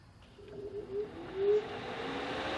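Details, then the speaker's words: Air Venturi 4500 PSI/300 bar air compressor, first-run 10-minute purge with nothing attached, cooling system switched on first: faint fan whirr rising steadily in pitch, smooth, no rattles; cooling fan normal. "The very first time you run it, you're supposed to do basically a 10-minute purge. So without anything attached to it, without the test plug in there, first you will turn on the cooling system."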